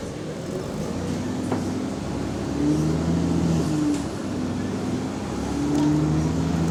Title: Exhaust Leak 🔥🔥 | GAL EN29 On Bus Route 486 Part 5 (9)